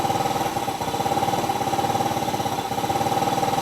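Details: Yamaha Mio 125 RR scooter with hard starting and a battery that dies after 3–4 days parked. It idles just after starting with quick, even firing pulses and a faint hum. Battery reads 12.5 V (9 V while cranking), charging about 13 V at idle; normal idle.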